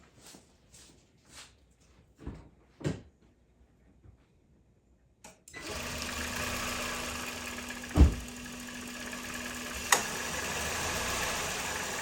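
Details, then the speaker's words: 2005 Honda Civic Hybrid with non-working cooling fans, engine just started during wiring tests: quiet idle, then a click and steady hum as the A/C compressor cuts in and keeps running; normal compressor clutch engagement. "You hear the compressor cut on. You know the air is working."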